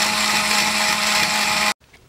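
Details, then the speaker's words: Vintage Tandy Radio Shack computer truck toy, two batteries, motor driving tires via cams, after reattaching a loose wire: high, even buzzing whir until switched off, no grinding or catching; healthy. "So there's a motor that spins the tire so it moves forward."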